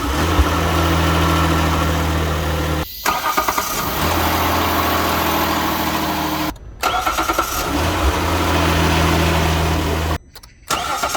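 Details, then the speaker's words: Hyundai Grandeur HG 3.0 GDI, cold start after 8+ hours parked, part of a comparison of ruthenium spark plugs against stock iridium. Quick crank and a clean catch to a smooth, even fast idle; no difference in starting sound is heard between the plugs. "어떤가요? 전 시동음에 대해서는 그 차이를 못 느끼겠습니다."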